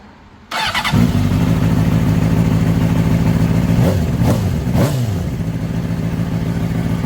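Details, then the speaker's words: Honda CBR600RR recovered from a crash and a pond, oil pressure sensor bypassed: quick catch, clean blips, smooth even idle, no ticking or rattle, no smoke. Normal start and idle. "Wow, what a relief. I'm so excited that this thing runs and it sounds really healthy."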